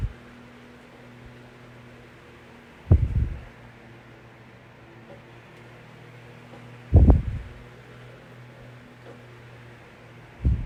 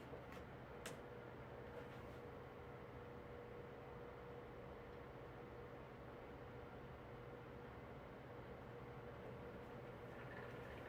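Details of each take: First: Vintage 1982-83 9-inch Galaxy fan after its motor was oiled. It gives a steady low hum and even whir with a few thumps, and spins freely, though the motor slows slightly when oscillating to one side. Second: 9-inch Galaxy amber oscillating fan: a quiet, steady low hum under the airflow with no clean smooth spin, and the motor speeds up and slows down while oscillating. The motor bearings are dry and need oil.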